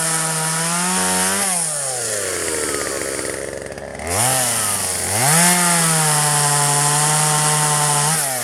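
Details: 1997 Poulan 2150 chainsaw, 23 years old, owner guesses 2.1 displacement; warm, just run; dull chain cutting box elder tops. Crisp steady two-stroke revs, bogging evenly into wood and recovering cleanly under load; normal chainsaw cutting.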